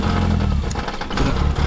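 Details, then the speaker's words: Reliant Rebel at cold idle, oil light just gone out: rough, uneven idle with an irregular scraping, catching noise that seems to come from down behind the gearbox; cause not yet found. "oh junky chunky see it sounds like it's coming from down behind the gear box the oil light's gone off it sounds horrible"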